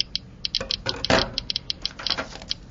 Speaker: again we can hear the clicking from the back from the radiation given off by the gamma source it's more active than the alpha source but less active than the beta